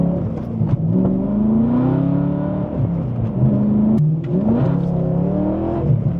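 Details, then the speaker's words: Abandoned, previously badly modified E92 BMW M3 V8 on a cold-weather brake test drive, heard in-cabin: deep drone rising and falling with revs and gear changes, far too loud inside; excessively loud exhaust. "all right brake check one feel nice entirely too loud in here but the brakes feel really really"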